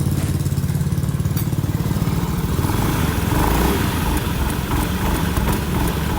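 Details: Honda Beat ESP K44 scooter after a gearbox overhaul that cured a severe humming: engine picks up speed with an even low drone and no whine from the drive. Normal, quiet gearbox.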